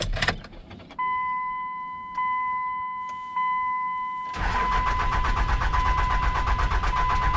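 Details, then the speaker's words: Dodge Cummins diesel truck: a steady warning chime and a few clicks, then a harsh, rhythmic grinding crank from a starter that has long been clicking and noisy, consistent with worn drive teeth; to be replaced. "It's been doing this for a while where it just clicks, clicks, clicks. And yeah, my starter has been making a noise ever since."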